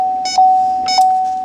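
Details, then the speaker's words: R1234YF car leak check during CPS AC FX3030 recover/recharge: steady single-pitch beep about every 0.6 seconds, only one red light lit; normal no-leak signal, louder or faster beeping or a full red bar would mean a leak. "The beeping is normal. If the beeping got a way louder or more frequently, No, and but- if the red bar lit up all the way, you have a leak."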